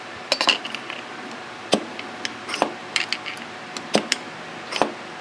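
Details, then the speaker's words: SU carburettor on a restored car, piston drop check with damper oil fitted: sharp light metallic clunk each time the piston is lifted and released, falling freely with no sticking; needle not hanging up in the jet. "All right, and you can see that it falls pretty easily and clunks. Now, I do have some damper oil in there, so you're getting some resistance from the damper oil, but that's really all you do."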